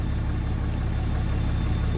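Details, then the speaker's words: 6.7 Cummins hotshot truck (probably a 2017) in park: deep diesel rumble with a slightly uneven, loping beat, a miss most noticeable under load. No blow-by; an injector kill test shows no change on cylinder 2, so the injector has failed. "All right, we got a 20, I think this one's a 17 with a slight miss on a Sunday. Really noticeable when you put it in park or in drive or reverse. Put a load on it."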